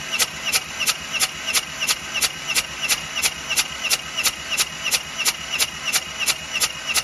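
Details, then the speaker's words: 543 Bobcat with a 2-cylinder Isuzu 2AA1 diesel that is hard to start when cold, compression test on cylinder two: steady even cranking about three turns a second with no catch; low 75 reading. "how is this thing even running 75 is that the highest it went guys"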